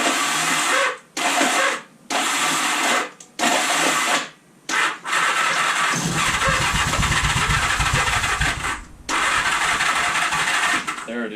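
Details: 1978 Honda Goldwing, about 45 years old and sat for years, weak battery, choke out, fuel pump not yet cleaned: short cranking bursts, then it catches and runs raggedly for about three seconds before dying. It fires only on starting fluid.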